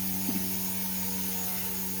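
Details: XK K130 small RTF electric helicopter after crash repair of broken servo gears: steady motor whine at even pitch with a clean drone underneath; drivetrain spools up smoothly and healthy.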